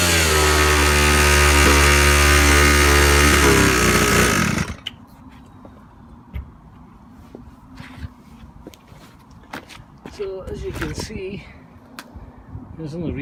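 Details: Razor scooter two-stroke engine conversion after rebuild fixing worn piston rings, good compression, first start: steady high-revving buzz for about four seconds, then cut off; runs cleanly but idle set too high.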